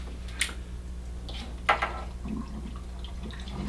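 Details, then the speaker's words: PC water-cooling loop being drained: a steady low pump hum with scattered gurgles and faint trickling as air bubbles work through; this is normal and quiets as the loop bleeds. "will experience a lot of bubbles in the beginning and those bubbles will make a noise as"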